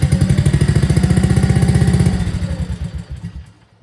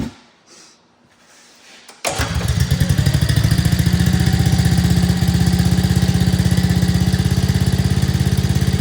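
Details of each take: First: 2024 Arctic Cat ZR 200 snowmobile idles with quick even pulses, then abruptly loses power and dies; barely touching the throttle pulls away from the throttle safety switch (TSS), cutting spark; intermittent stalling at idle. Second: 2024 Arctic Cat ZR 200 snowmobile, single-cylinder, up on a stand, after adjusting the throttle cable slack off the throttle safety switch: starts and settles into a steady, even idle without dying; the previous intermittent stalling at idle is fixed.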